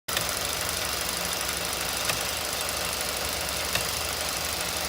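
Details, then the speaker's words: 2016 Ford F-150 5.0 at idle: single sharp click about every 1.5 seconds, not following engine speed, persists with A/C off; something cycling on and off, source not found. "No, it's not. It's something cycling on and off."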